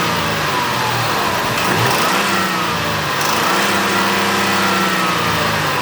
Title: 2006 ford escape 3.0l v6. What's this knocking noise?